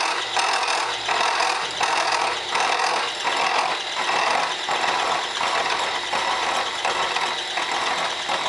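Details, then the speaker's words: Portakey portable cutting tool, fed slowly by hand: rhythmic grinding bursts around 80 a minute as the cutter bites; chatter, suspected from an old spindle or holder running less true than the 40-taper holders. "now you can hear that a bridge for it there I don't know if it's just an old spindle or what or how it holds it but it doesn't seem to run as true as it does over in the uh 40 taper holders that I have at the k&t"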